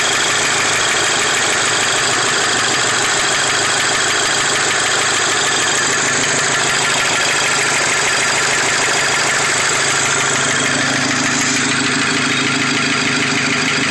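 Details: VW Mk5 GTI petrol engine at idle with a fast, uneven light knock about three per second riding over it; source of the knocking not pinned down.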